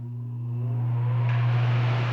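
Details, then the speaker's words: Arno Silence Force 40 cm fan fitted with a universal oscillation gearbox: steady low hum with a whir building as it spins up, no oscillation; the gearbox does not fit this model and causes the noise. "e fica com barulho não Oscila e fica com esse barulho"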